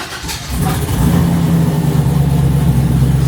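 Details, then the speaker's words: 1972 Chevelle RS with LS3 V8, first start after a new coil pack harness from PSI Conversion fixed it: fires and quickly builds to a deep, steady rumble with an even beat; clean, healthy first start, though a gasket is still leaking oil. "So good. So good. Sounds so freaking good."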